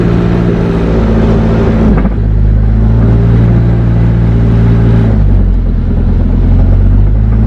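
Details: Car on jack stands running with the wheels spinning, after a search that still found no source of the clunk: engine revs, then a dull single clunk each time the throttle is released; gearbox suspected; drivetrain clunk.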